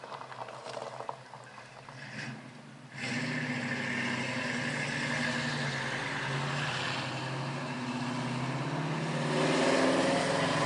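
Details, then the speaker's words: 1969 Mustang coupe V8 with newly fitted dual exhaust: quiet at first, then a smooth, moderate burble that swells gently, with no rasp, leak or rattle; healthy exhaust note. "Well, everyone, there you have it. Happy customer, nice Mustang, good sounding exhaust."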